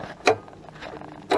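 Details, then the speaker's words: International 1586 tractor, batteries just installed after sitting a couple of years: two sharp single starter solenoid clicks about a second apart as the key is turned; voltage check then shows no 12 V past the solenoid. "when we turn the key we should hear it click oh"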